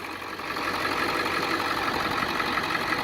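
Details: 2002 Ford Excursion 7.3 diesel 4x4 after new pulley housing and serpentine belt replaced a seized tensioner and damaged belt: steady, even idle clatter, no knocks, squeals or belt chirp; healthy, normal idle.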